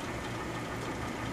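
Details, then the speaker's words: 1931 Frigidaire refrigerator compressor after install, line flush and leak test, drawing about 340 watts in a hot room, float still needing adjustment: steady, even low hum with soft hiss, no knocks or rattles; running quietly and healthily, evaporator frosting. "So yeah, I'm delighted to hear it run and see it run. It's very unobtrusive with the noise."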